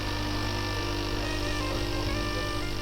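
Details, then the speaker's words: DeLonghi espresso maker that hummed but poured no coffee, after repair and warm-up with the portafilter loaded: a steady, even low buzz as the vibratory pump pressurises the boiler and hot coffee flows. Normal pump operation. "Помпа создает давление в бойлере. Плюс горячая вода — это тоже дополнительное давление."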